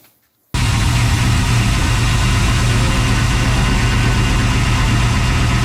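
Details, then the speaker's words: 1992 Chevy C1500 with LS1/T56 swap, first start on standalone harness without radiator: catches after a short silence and settles into a steady, even V8 burble with no knocks or misses; runs healthy. "but I'm going to call that good she runs that start was just so I can hear it run"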